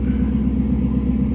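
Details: 2016 Chevrolet Caprice, after fuel rail and injectors were reinstalled to cure rough running, StabiliTrak fault and P0208/P0300 codes: steady, even idle hum with no misses, stumbles or ticks; rescan shows no faults and check-engine light off.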